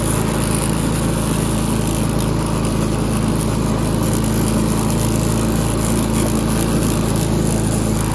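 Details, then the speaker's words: Push mower that sat 6 years with water in the engine, now mowing after a new head gasket, with the governor disconnected and throttle adjusted: the engine holds even speed while cutting, firing smoothly with no misses or surging. It runs normally under load. "This mower's running good now. It runs a lot better with the new head gasket."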